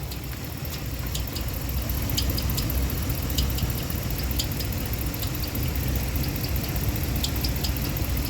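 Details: 2015 Ram 1500 with 5.7 Hemi at idle: rough idle with scattered, unevenly spaced sharp high ticks over a low rumble, likely top end; mechanic plans to remove the belt, then check under the valve cover. Cause unconfirmed.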